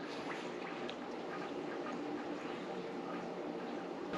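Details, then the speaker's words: Navien boiler heating loop being purged zone by zone after a botched earlier repair: steady gurgling, spitting rush of water with bubbly hiss and visible air bubbles; air trapped in the heating loop being flushed out. "you can see the little air bubbles there I'm hearing something else coming yeah you can hear it making funny noises"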